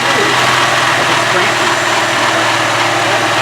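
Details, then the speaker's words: 1995 Honda Civic EG, manual, just restarted after a no-start: steady, even idle with no rattle or knock, heavy hiss over it; normal idle. "I don't hear no damn rattling when you're hitting it. Sounds good to me now. Sounds fine to me."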